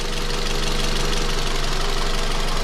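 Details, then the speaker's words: 2006 Scion tC 5-speed manual, after head pulled for low compression and valve stem seal replacement: steady, even idle at operating temperature with constant hum, no misses or knocking; test drive to higher RPM still to come. "I'm gonna go take it for a quick little drive around the neighborhood just to make sure that the engine is happy, because idling is one thing, but getting it up to RPM is another."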